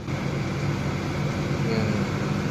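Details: Honda City i-DTEC diesel after a full service, idling with the automatic AC on; steady low hum with even fan whoosh, no rattles or surging, healthy.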